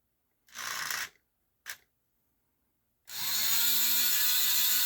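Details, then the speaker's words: Lionel 6-12741 intermodal crane after repair: a knock caused by a cracked plastic helix gear was fixed by installing a brass pinion gear (2741-325). After a couple of short whirs the small motor settles into a smooth steady high whine with no knock, so the gearing runs sound. "notice there isn't a a big knock oops"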